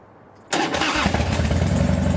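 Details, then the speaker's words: Carbureted Harley-Davidson with a push-button solenoid cover fix, a follow-up on the click of death. Cold start after sitting three to four weeks on a battery tender, petcock on, choke out, in neutral. Brief crank, fires at once into a lumpy, steady V-twin idle. "so we're gonna turn it on make sure it's in neutral and I'm gonna hit the starter now and let's see how this baby runs or doesn't run"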